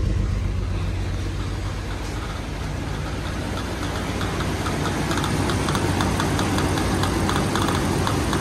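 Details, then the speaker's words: XJ engine first start: uneven, lumpy idle with a loose rattling chatter; the timing chain tensioner had broken, fixed by fitting a whole new timing chain and gear set. "so we had a little issue the little issue was a mixture of a couple of different things uh the timing chain tensioner broke"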